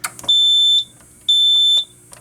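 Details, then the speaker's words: Fire alarm panel with strobes: two clean high-pitched beeps, each about half a second long and a second apart, then alarm silenced with relays clicking; alarm circuit sounding normally. "and you can hear the loud buzzing in here okay we could turn it off now you can hear the relays click when I push it again"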